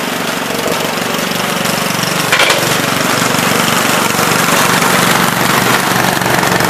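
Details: 1970 Gravely Commercial 8 garden tractor, 8 hp single-cylinder, revived after sitting a few years: even, steady chugging with no misses, knocks or surging; running pretty decent, normal running.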